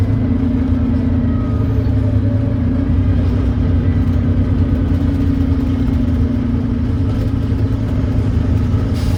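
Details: Volvo B9TL Wright Eclipse Gemini bus, Volvo D9B 9.3L Euro 4 diesel, ZF Ecolife 6-speed, hill climb: heavy diesel labouring under load with a raspy chuff over a steady low roar; exhaust leak.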